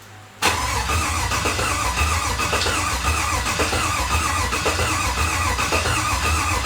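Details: Freshly rebuilt Chevy 5.3 LT truck engine after fuel priming: brief quiet crank, then it catches and settles into a steady, even low rumble with no knocks or misses. Normal start and idle.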